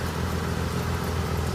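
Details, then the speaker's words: Front-wheel-drive Pontiac G6 on a lift, idling in drive with the front wheels spinning freely; a steady low droning rumble from one side identifies the worn front wheel bearing. "You can clearly hear from one side to the other which one has the bad wheel bearing."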